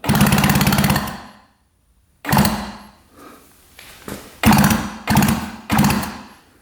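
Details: 1966 Yamaha YL1 motorcycle, never run in the owner's 15 years: electric start works, fast even starter whirring in bursts of about a second with no firing; plugs show no spark; cranks but no start.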